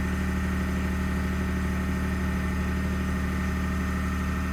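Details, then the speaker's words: 2021 Ford F150 PowerBoost remote cold start at -16°C: steady low idle with rough gravelly churn underneath, very loud; occurs only below about -11°C; owner thinks something starts pumping, grinding source not pinned down. "So the noise is still there. Something clicked, but I don't know when it starts."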